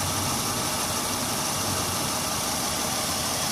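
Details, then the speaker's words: 2001 Honda Odyssey 3.5 V6, 570,000 miles, code P0304: idle runs rough and uneven with a recurring stumble; cylinder four dead because its coil pack is missing, running on five cylinders. "one three five two six four uh-oh four four four four is missing two five pack four five pack six koi pack number four is missing the car still running wow what a honda good car"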